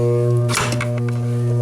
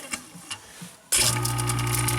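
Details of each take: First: InSinkErator kitchen garbage disposal switched on: steady low electrical hum with no spin-up. The impeller turns freely with a pry bar, so it is not jammed; an AC motor fault (hum, overcurrent, shut-off) is suspected, not confirmed. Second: InSinkErator garbage disposal that hummed without spinning, after teardown and repair: a few light ticks, then the motor snaps into a steady, even, quiet hum with no growl or stall, running normally.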